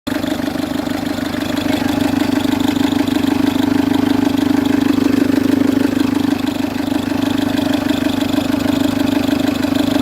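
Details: Citroen C3 HDi diesel at idle with a loud, steady rattling chatter about three times a second from the auxiliary/serpentine belt side; worn tensioner, to be replaced together with the belt.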